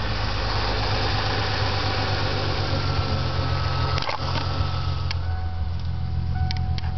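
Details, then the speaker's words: 1997 Ford Mustang V6 at idle with a slight miss: loose ticking knock over the engine drone, chattering between about 1000 and 1500 rpm; owner unsure whether lifters or rod knock. "Knocking going on around here. It's kind of lame. Don't know what it is."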